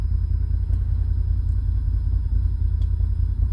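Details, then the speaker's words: Idle of a 2020 Can-Am Defender Limited Max cab with the AC compressor just engaged at minimum temperature and low fan. RPM rises, an even idle rumble, no knocks or squeal, cool air already blowing. Normal idle with AC compressor engaged. "there it's on minimum fan low so there the compressor just turned on the RPMs raised and the fan is still on low and it's blowing cool air already"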